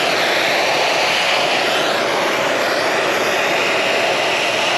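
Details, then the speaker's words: Carrier AC condenser after replacing a grounded compressor that tripped the breaker: even steady rush of fan air with no rattle, squeal or cycling; normal running after repair. "That's how it supposed to sound, huh? That's how I like it."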